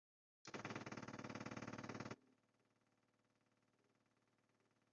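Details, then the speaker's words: 1966 Dodge Charger 318 poly with new electric fuel pump on block-off plate, key on before cranking: fast steady ticking near four per second, loud at first, then softer once the carburetor bowl fills and pressure builds; pump working normally. "and then you should hear a totally different sound that's going to let you know that the fuel pump is is uh pressured and it's going to tell you that that bowl is full of gas"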